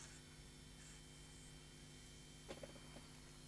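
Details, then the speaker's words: JVC BR-HD50 ProHD HDV DVCAM-size deck that had been tampered with, powered from a 12 V centre-positive lab supply drawing 400 mA; on switch-on a soft steady fan whir with low hum and light mechanical clicks, no rubbing: normal cooling fan running. "okay we have the machine pared up the operate light is on if I just switch it on hear a fan"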